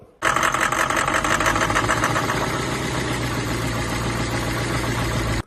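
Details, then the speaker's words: 1991 Toyota Soarer/Lexus SC400 with the 1UZ-FE V8, sold as having serious engine knock: rapid, even knocking ticking over the idle, loudest in the first seconds; the knocking later stopped. Engine knock suspected, not confirmed. "So, as you can see, that quite clearly sounds like engine knock."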